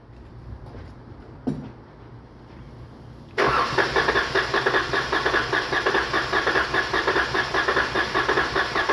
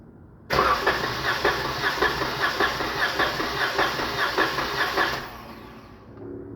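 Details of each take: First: 2019 Dodge Charger 3.6, P0302 misfire, power loss: starter cranks about six seconds with rhythmic compression pulses during test; cylinder two reads about 90 versus 150-160 spec, low compression, suspected valve problem. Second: 2019 Dodge Charger 3.6 with P0302 cylinder 2 misfire and power loss, compression test cranking on a good cylinder; even starter pace, every stroke alike, reaching 150 psi, healthy compression.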